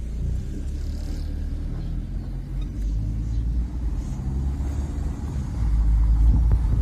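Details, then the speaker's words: Proton Gen 2 with a suspected worn left lower suspension: coasting with foot off the throttle gives only steady road and engine rumble and no clunk. The noise came only under engine load, so the suspension is fine. "bu gazdan ayağımı çektim ve ses yok Allah Allah Yani motor yükle vurduğumuzda ses geliyordu"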